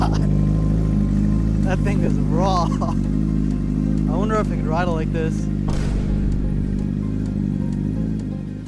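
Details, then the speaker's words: Salvage wrecked Honda CBR1000RR started with a trickle charger connected because the battery is weak; it also has a fuel leak. Inline-four settles into a steady, even idle with music over it; engine healthy. "So, engine's good. That's all that matters. Very happy."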